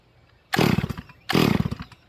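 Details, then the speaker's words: Rebuilt Stihl MS440 chainsaw during manual carburetor tuning, idle jet opened far: two throttle blips with blubbery, uneven burble instead of a clean scream; over-rich, probably flooded, low jet barely open, to be opened about 3/4 turn. "All right. So, it's way too fat. It's probably flooded."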